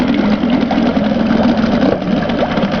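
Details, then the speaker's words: 1983 Yamaha-made Mariner 4hp single-cylinder outboard, very low hours, first start after sitting two years, warm enough to idle down: quick, slightly uneven putter, normal single-cylinder roughness, still pumping water; normal idle. "first like the kitten it's a little single cylinder so it runs a little rougher than a two-cylinder"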